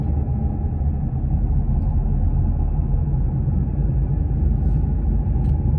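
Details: Nissan X-Trail T31 while driving: faint steady single-pitch whine under heavy road rumble; owner unsure whether CVT transmission or wheel bearings.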